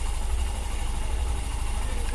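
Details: Hero Super Splendor BS6 single-cylinder idling after the timing chain was adjusted by pushing the tensioner down: low, steady thump with an even beat and no ticking or rattle; the earlier timing chain noise is gone.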